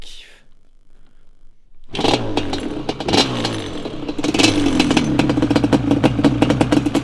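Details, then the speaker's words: Banshee 350 two-stroke just rebuilt with new piston and cylinders, compression much better than before: starts, crackles through sharp revs, settles to crisp even run; normal start and rev. "je vais quand même vous le démarrer pour que vous puissiez entendre cette douce mélodie."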